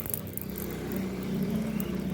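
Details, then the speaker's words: Motorcycle with a correctly tight chain after oiling the dry chain with a syringe: rear wheel spins with a steady, even low hum, no clicking from the chain. "अब इसमें आवाज नहीं है बिल्कुल बिल्कुल एकदम smooth तरीके से चल रही है"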